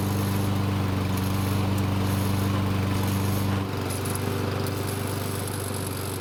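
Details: Free Lawn Boy mower after its gummed choke flap pivot was soaked with carb cleaner: steady, even drone with a clean low hum, no misses or surging; engine runs smoothly after the repair.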